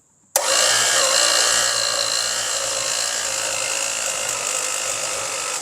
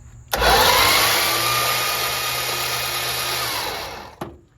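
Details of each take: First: Long-sitting seized Chrysler slant six engine, first starter try: steady high whir about five seconds with no cranking rhythm; starter can't turn it because a valve is stuck, bending a push rod. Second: Previously seized Slant Six, freed and oiled, cranked with the spark plugs out: a quick, even starter whir with no compression pulses, spinning fast and freely. Normal fast cranking with no binding.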